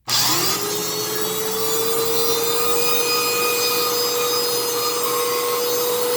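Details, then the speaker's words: Fantom Fury 10 amp vacuum cleaner (compared with a repaired 12 amp unit): loud motor whine near 500 Hz with a harsh rushing roar; far too loud, harsh motor noise, cause unclear. "because the 10:00 a.m. one did not sound very good so just the torture you guys I'll do that"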